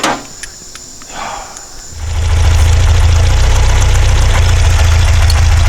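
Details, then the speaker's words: Porsche 912, Dellorto DRLA carburettors, after cleaning a jet: cylinder still dead, spark seems fine, smells fuel-starved; idle thumps with an uneven lope about three beats a second; junk later found in cylinder four idle jet. "best cylinder is not running again now back to the drawing board I don't see any reason that spark plug she'd not be firing there of fact smells like it's not getting fuel"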